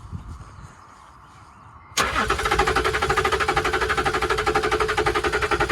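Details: Cheap salvage Range Rover cranks but won't start: after a quiet moment the starter churns steadily at about four pulses a second and the engine never catches; fuel pressure is under 3 PSI, and the tank fuel pump is suspected.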